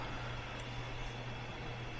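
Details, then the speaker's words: Zoned furnace heating system with closed zone dampers and no bypass: steady low roar of air with a constant hum underneath, excess duct static pressure that needs a bypass to relieve it. "You can hear that pressure though. Gotta balance that pressure out somehow."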